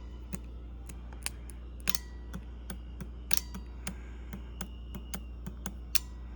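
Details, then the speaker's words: Bosch 3-channel ABS hydraulic unit from 1989 Mercedes 560SEL, bench test with valve relay on: green-red right-front solenoid valve energised, crisp irregular clicks over low hum, releasing caliper pressure normally. "And the way the system basically works, you start the car, the controller turns the relay on for the, the relay is on now, for the valves. And now if we say we want a valve,"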